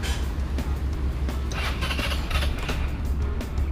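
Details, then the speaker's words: Easyride 150N GY6 scooter with the auto enricher (auto choke) removed, cold start at 9 a.m. after sitting overnight: catches on one click and settles at a steady idle of about 1000 rpm; no longer hard starting or smelling of fuel. "One Click lang tapos nasa starting niya is nasa 1k RPM RP so hindi na siya Nangangamoy gasolina tapos hindi na siya hard starting"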